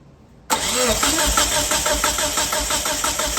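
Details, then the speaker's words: 1997 Mitsubishi Eclipse GSX cranking during compression test with fuel unplugged to clear fuel: starter spins engine in steady, even chug about three beats a second, never fires; spark plugs look new. "Should probably unplug the so it's not getting fuel. Crank it a couple times, get the fuel out of there if there is any."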